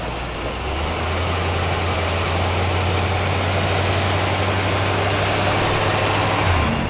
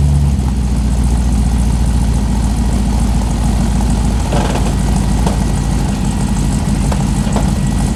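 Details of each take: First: Newly delivered car, still very cold after sitting outside a couple of days: high idle revving up with a steady drone and a slightly uneven beat. The owners think it sounds like it's missing and plan to let it warm up. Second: Newly delivered Corvette (hood latch and driver's window need adjusting): a deep, steady rumble with an even beat and no knocks or misses. It sounds real good; normal idle.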